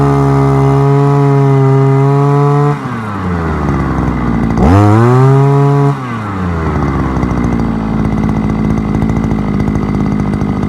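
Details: Forte two-stroke petrol brushcutter, outdoors after piston kit replacement for lost compression and knocking (owner blames bad or no oil): runs strong and steady, blips cleanly, settles to even idle; good compression, healthy.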